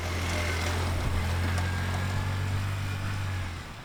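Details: Polaris Ranger XP after repairing a no-crank fault: a shoddy previous-owner brake pressure sensor bypass jumper was replaced with a soldered permanent bypass. The engine catches and settles into a steady low idle with an even rhythm and no knocks.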